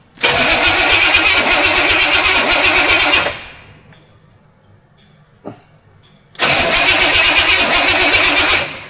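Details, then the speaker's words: Studebaker engine on first start attempt, weak scavenged battery: catches and runs rough for about three seconds, then dies; a second catch fades the same way; owner suspects it needs more fuel, unconfirmed. "Just want more fuel. Possible."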